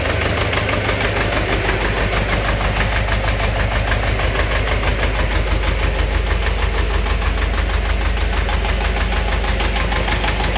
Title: Стук в двигателе